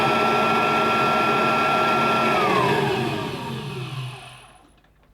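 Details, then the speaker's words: Kirby Tradition vacuum cleaner just after a new brush roll was fitted, judged to sound slightly better than before: a steady motor whine with a smooth, even hum, then a clean wind-down after switch-off. Running normally. "does sound better to be honest I think it does sound slightly better than this"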